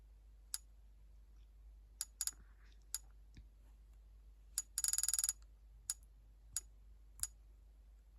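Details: Sony PSP: sharp irregular high clicks every second or so with one rapid burst, over a quiet room; something inside is clicking, cause unknown.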